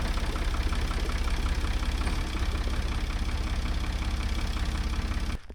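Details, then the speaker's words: 1978 Ford backhoe diesel, first run in decades, oil pressure gauge just hooked up: even, steady chug at about two and a half beats a second with no misses before shutdown; runs really well. "it does run really well though so that's got me excited"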